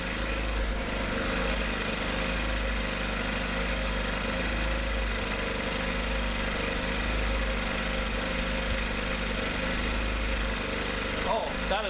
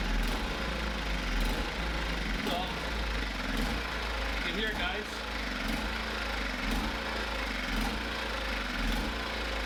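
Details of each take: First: Small generator engine on the first pull: a constant, steady drone with no surging or stumbling, after brief slight hunting at start; the idle is fixed and runs smoothly. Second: Small generator engine run on 91 fuel, started with the choke: the idle surges with a slow rise and fall about once a second. The owner blames the carburetor idle circuit and plans to remove and clean the carburetor.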